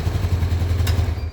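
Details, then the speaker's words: Yamaha Mio scooter that had been hard to start, suspected compression leak, tested after work: low, steady pulsing thump, even firing, no misses or clatter; starts easily and idles normally, though oil sprayed up over time. "Nih udah hidup ya. Motor aman. Jadi gampang banget hidup karena motor ini enggak pernah mogok dan langsam pun normal nih."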